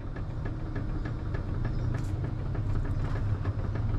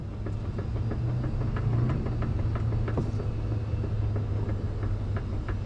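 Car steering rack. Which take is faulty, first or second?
second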